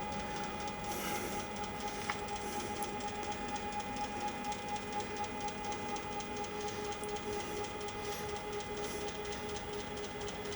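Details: Genmitsu CNC on a wireless offline controller, jogging left after holding the button a few minutes: an even, steady high stepper whine, with a lower tone joining later and no skipping or grinding; normal jogging.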